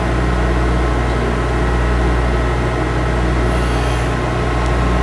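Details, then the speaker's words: Skate profiling machine grinding a pair of CCM hockey blades, toe adjusted while pivoting on the heel bearing: constant motor hum with only light grinding contact at times, taking little off past the front line; normal profiling grind. "so you can hear it just just touching as we're passing that front line"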